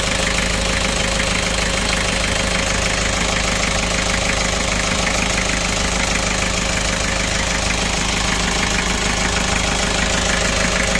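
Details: Kia Bongo Frontier 3.0 JT diesel idling with a hard regular knock, about three beats a second, over rough clatter; also overheating with no fan shroud, low power, black smoke; bad fuel injectors suspected, cause unconfirmed.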